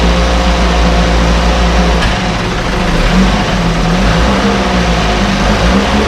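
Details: 1968 Evinrude Fastwin outboard, run in a test tank with no work done after purchase; steady, even two-stroke buzz holding pitch with a slight rise near the end; normal outboard idle, runs like a top.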